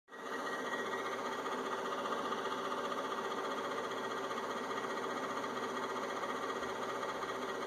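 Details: Inverter with only the left cooling fan on: fan spins up then holds a steady whirring hum with a rough, buzzy edge and faint tick; noisy cooling fan.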